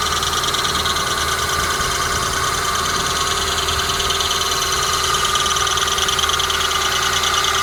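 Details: Honda Prelude BB3, cold engine at idle: steady high squeak of constant pitch over even idle, persisting until working temperature is reached; source unknown.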